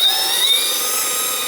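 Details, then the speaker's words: Holmes Hobbies Revolver 540 motor in an RC crawler on 3S, run outdoors up to full throttle; smooth high steady whine rising slightly with throttle, very mild metallic turbo-like sound, gear noise louder than the motor, quieter than before. "as you can see you guys it's a lot quieter than it was the last time it has a very very mild metallic sound to it it just sounds like the beginning of a turbo spooling up and it doesn't get much louder than that as I increase you can hear the gear"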